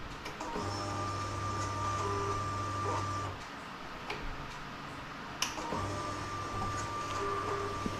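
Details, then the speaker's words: Kawasaki Vulcan 900 with a no-start problem, after a fuel pump replacement and a check of the tank breather check valve: a low electric buzz of about three seconds at key-on, stops and returns, normal fuel pump priming. "Go ahead and turn the key on. You hear the fuel pump priming."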